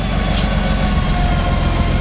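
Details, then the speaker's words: Honda Goldwing 1800 idling just after an oil and filter change, on a hot day: smooth, even low idle with a steady deep hum, no knocks or ticks; sounds smoother after the oil change; normal idle. "I can hear the difference in that just with changing the oil. It sounds so much smoother."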